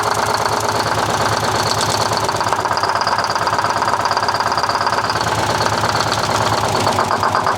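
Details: 1970 Peterbilt 341 with blown-up 6V71 Detroit two-stroke diesel: rough idle with heavy regular knocking near three a second, smoke where none should be; engine knock.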